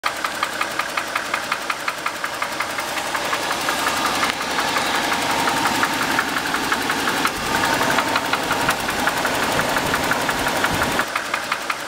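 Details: Nissan R31 Skyline with RB30 engine idles with a steady, sharp ticking knock, about three per second, described as a knock, tick or cracking; cause unknown.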